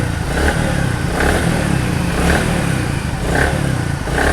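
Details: Platina 100 single-cylinder bike just after new piston rings were fitted, mic held near the engine, throttle blipped: revs rise and fall evenly with no knock or rattle; normal revving, engine sounds healthy.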